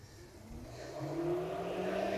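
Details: 2002 Mini Cooper S R53 cooling fan commanded on at speed one after the seized-bearing fan was replaced and the wiring repaired: a smooth whir rising to a steady speed with no rubbing or grinding, so the fan runs normally.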